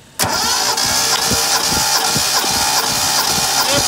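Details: 1972 Datsun Cedric six-cylinder cranked with all spark plugs out for a compression test, readings about 10.5-11.5 and similar across cylinders. Fast, even starter cranking about four beats a second, every stroke alike; normal cranking.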